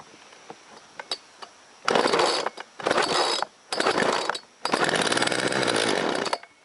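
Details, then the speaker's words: Hard-starting two-stroke chainsaw, choke on, primed, with a primer bulb slow to spring back; owner suspects the carb needs blowing out. A few faint pulls, then ragged bursts that die and catch before a longer uneven run as it barely fires. "Oh, it's got a primer thing. Doesn't come back out quick. That might mean the carb needs a little blowing out."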